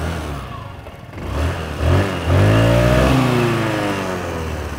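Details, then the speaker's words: Benelli Panarea 125cc automatic scooter: the electric starter uses a dynamo-type starter with a distinctive clacking, then the single idles evenly, revs cleanly and settles back with no knocks; smooth exhaust and engine. "Kalau suara knalpotnya sih halus dan mesinnya juga halus."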